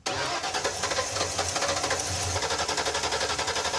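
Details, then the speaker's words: Ford Ranchero with 302 V8, long-stored, first start with fresh fuel and a leaking fuel line: brief crank, catches with a fast uneven lumpy idle, then settles into a rough but steady run. "woo it's alive wow that sounds all right"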